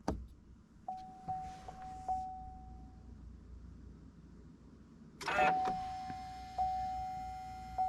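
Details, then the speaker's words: 2019-2021 Chevrolet Silverado LM2 3.0L Duramax after an oil and fuel filter change, engine off, priming button held in the cab. A steady mid-pitched electric hum comes in short runs with light clicks: normal fuel pump priming. "All right, let's go ahead and get in the pickup. We are going to hold this button down here to prime our"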